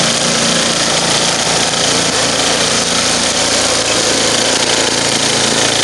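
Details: Murray 10 HP snow blower with 29-inch cut, after rebuild, under load: loud, even, steady drone with no misses, knocks or surging. Healthy running.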